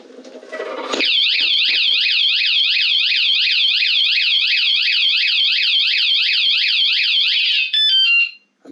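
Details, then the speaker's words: Roughly 30-year-old Harley-Davidson battery-operated motorcycle anti-theft alarm, still working after being armed; piercing electronic siren sweeping up and down about three times a second, steady throughout, triggered and working properly. "You hear that? The thing is like, don't touch my bike."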